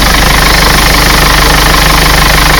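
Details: Mercedes Sprinter diesel, first start after fitting a reconditioned starter motor for hard cold-weather starting (glow plugs already changed): steady, even idle, smooth low rumble, no knocks or misses; healthy.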